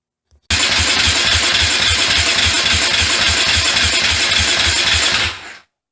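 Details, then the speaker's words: KTM 450 dirt bike, not run in 10 years, with spark restored at the coil: steady, fast starter chugging for about five seconds with no firing pops; it cranks but won't start, and the spark plug is then removed and found bad. "still no start can I have to do a little more investigation"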